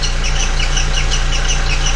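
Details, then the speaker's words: VW MK4 Golf idling with accessory belt and timing cover off: sharp high chirps two to three times a second matching camshaft gear rotation; squeak suspected from timing belt area, new timing belt kit ordered, not confirmed. "okay great it's making a noise but i really can't tell where it's coming from but if you look closely the frequency of the squeak matches"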